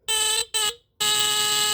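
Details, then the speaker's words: Old battery-powered Tanita Mfg. Co. No 2 heat alarm, tested with the bottom test strip: loud buzzing horn at a steady pitch, two short blasts then a long one, same lower pitch as a Star alarm; works properly. "I'm pretty sure if I put a battery in it it should still sound yep makes the same sound as a star alarm actually the same pitch same lower pitch"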